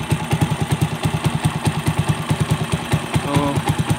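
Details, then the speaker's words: Single-cylinder pushrod engine after air and fuel screw modification and side-gapped spark plug, with a slight exhaust leak: steady thump about two beats a second, some popping from the pipe, clean idle. Carburetor response okay, normal idle. "Okay na ang response ng carburetor guys."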